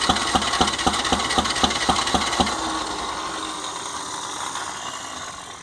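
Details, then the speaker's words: John Deere 1010 tractor after new Zenith 12566 carburetor and rewire: starter cranks about four beats a second then winds down without firing; no spark, traced to a bad ignition key switch terminal. "Coming to find out, the key switch ignition terminal is bad."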